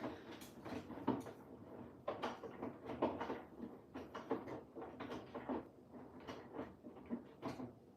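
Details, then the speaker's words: Washing machine on cottons 60 programme, tumbling: irregular soft thumps about once a second as the machine knocks the adjacent cabinet; needs moving and adjusting slightly. Washer knocking against adjacent cabinet. "can hear that knocking. It is not the machine. It's the cabinet next to the machine needs to I do need to adjust it slightly."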